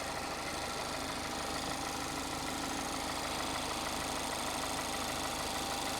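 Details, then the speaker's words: 2021 Mazda MX-5 track car at auction: steady idle with a light, fairly regular tick about three times a second; top-end tick, cam suspected, cause unknown. "I don't know let me know what's going on because I would think that a Mazda engine a basic MX-5 would be quiet it wouldn't be just like like that yeah I think I don't know the cam or something who knows"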